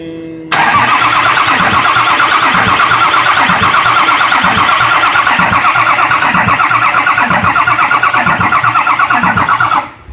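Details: 2004 Ford F350 no-start with batteries jumped: starter spins steadily about nine seconds at roughly three compression pulses a second, never catches; no oil pressure, oil filter found bone dry; cranks but no start.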